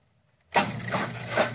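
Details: Washing machine that had stopped rinsing and wouldn't spin, drain pump tested with its wires (yellow, black on some) connected directly: a steady low hum with a watery rush starts abruptly and stays even; the drain pump motor runs normally.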